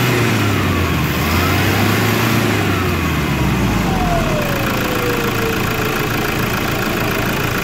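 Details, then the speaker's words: Toyota Hilux diesel revving and settling while a thin whistling tone falls away with the revs. The turbo is noisy and failing, roaring and hissing, and is due to be replaced. "Aí você deve perguntar qual é o sintoma da turbina. É nesse caso aqui, barulho, pessoal. A turbina ela está roncando, chiando, dependendo da situação."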